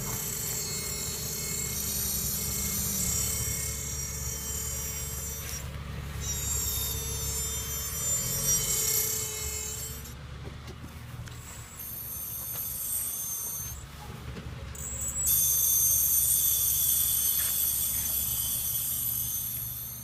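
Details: 2004 Honda Accord V6 rolling: high scraping squeal with rasping grind that comes and goes, brake noise.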